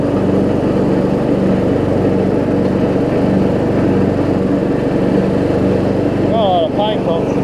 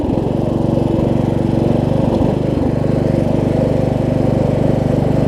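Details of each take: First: Craftsman LT1000 riding mower, running with blades engaged after a deck swap: steady drone with a rough rubbing rattle beneath; blade brake pads worn to nothing, common on these, yet the blades still stop. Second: Craftsman LT1000 riding mower held at full throttle with the blades engaged after a deck swap and wiring repair: a steady, even engine drone with no hunting or surging, though it surged slightly earlier. Healthy running under blade load.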